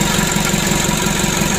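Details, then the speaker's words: Rebuilt Mitsubishi 120 PS diesel engine right after first start following assembly, cold and warming at idle, not revved; even low chugging, no knocking or misfire, running smoothly. "Oke teman-teman, alhamdulillah ya, untuk mesinnya sudah hidup. Nah, ini awal hidupnya teman-teman ya. Ini kita panasi dulu, kita rayen duduk, jangan kita gas-gas dulu."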